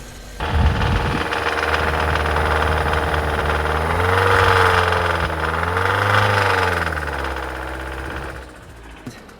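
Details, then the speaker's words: Engine knock while revving on a 2.0 naturally aspirated GDI engine, long-sat car with a dead battery: a steady knocking rides over the revs and slowly eases at idle; suspected rod bearing, engine suspected blown. "and then it slowly goes away at idle, but I mean, it sounds like knock to me. Maybe not knock specifically, but some sort of like a rod bearing issue. Basically engine is really not happy."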